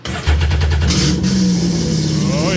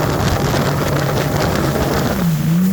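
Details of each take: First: Sea-Doo XP X4 with Spark ACE 900 4-stroke swap, start without water, limp mode shown: fuel pump primes, cranks briefly, fires quickly into smooth steady idle; runs and sounds good. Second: Sea-Doo XP X4 with Spark ACE 900 4-stroke swap, on water: steady high drone at speed, limited to about 5,635 rpm and 35 mph (8,800 rpm off water); owner suspects impeller pitch, possibly beginner key.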